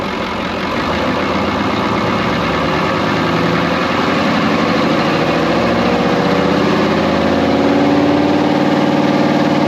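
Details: Brockway 358 truck with Cummins 555 "triple nickel" diesel, idling after valve adjustment (loose injectors adjusted, intake valves tightened; starter fluid in intake): even, steady idle, smooth low rumble, no tapping or misfire. Sounds much better.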